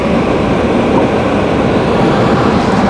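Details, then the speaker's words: Dometic RV furnace (model AFMD30121A) removed and bench-tested with gas on and thermostat wires jumped: steady rushing blower roar with no igniter ticking at all. No ignition spark; a bad, corroded control board is suspected. "we're going to fish the lights i kind of don't think it's uh trying to ignite i don't hear it striking which means we probably have a bad board"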